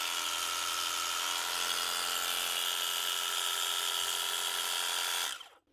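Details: Clipster cattle clippers after fitting new nylon gear and blade set: steady high-pitched buzz with even, fast rhythm, then clean wind-down at switch-off; normal running.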